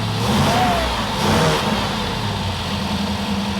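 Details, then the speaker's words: Kip's Willys Wagon with no coolant, power steering removed: two throttle blips, with revs rising sluggishly and sagging back to an uneven idle. Needs enrichment fuel, suspected; cause unconfirmed. "We gotta give us some fuel. We need some enrichment fuel."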